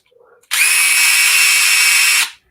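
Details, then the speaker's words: DeWalt DCF840 impact driver after opening it up: a steady high whir for almost two seconds with no clear rapid hammering. It is still missing impacts, and the cause is unknown. "don't know, man. It still doesn't still sound. Missing. Yeah, it's still missing."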